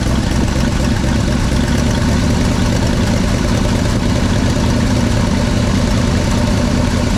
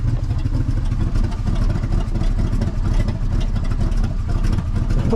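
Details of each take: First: 1964 Chevy C60 grain truck, 327 V8, long parked on a ranch, first start, likely running off fuel left in the carburetor, exhaust pipe loose; steady, even low rumble settling into a clean, healthy idle. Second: 1964 Chevy C60 grain truck with a 327 V8, long sitting, just started: a deep, loud, uneven rumble with a raw unmuffled bark. One exhaust pipe is falling off and sounds disconnected; it may be running only on fuel left in the carburetor.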